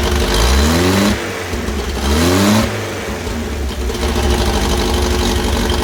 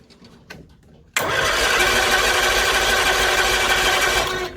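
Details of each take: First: 1964 Bedford CA panel van petrol engine, first start after about 10 years unused, exhaust mostly rotted away: catches and revs up in a few blips, then settles to a rough but steady run; a runner. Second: 1964 Bedford CA panel van, thought not to have run for about 10 years, on a warm day: the starter spins the engine for about three seconds with an even cranking drone, but it never fires.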